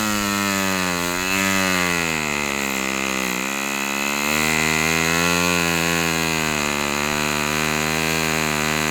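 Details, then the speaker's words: Fox Twin glow engine at full throttle, glow igniter left on: loud high buzz holding strong without cutting out, considered healthy. "Uh you saw a peak RPM reading of 10,180 with a 146. Um that's pretty respectable."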